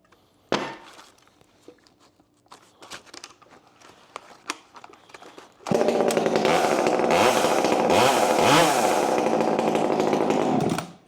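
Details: Ported Husqvarna T540 Mark III top-handle chainsaw (Red Beard Saws port), new and still breaking in, indoors after refitting bar and chain: quiet handling, then clean, crisp, even revving up and down, chain speed acceptable; normal revving.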